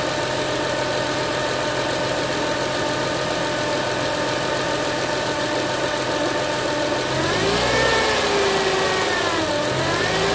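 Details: 2007 Acura TL Type S: clear steady whine over the idle that climbs and falls in pitch with each rev; cause of the engine whine not identified.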